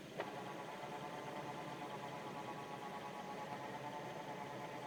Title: G37 weird whining noise?